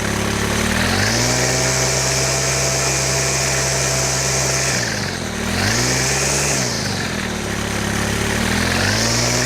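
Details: Stihl FS100 4Mix brushcutter during service after starting/stalling issues: engine revs up and drops back twice with a harsh high whine; gearhead sounds dry while revving, so grease to be added. Dry gearhead suspected.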